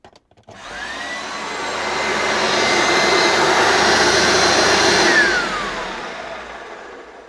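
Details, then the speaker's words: Electrolux The Boss USA-made upright vacuum after lubricating the brush roll bearings: spins up to a steady smooth whine, holds even with no rattle or grinding, winds down cleanly; sounds much better, motor and brush roll healthy. "well that sounds so much better now that I've um lubricated the brush roll bearings"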